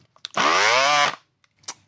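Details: Peugeot Energyhub 18VBL cordless angle grinder, unused 2–3 years, suspected of draining batteries: motor whine climbs as it spins up then cuts off; harsh abnormal noise unlike the multitool on the same base, no gear play, cause unknown.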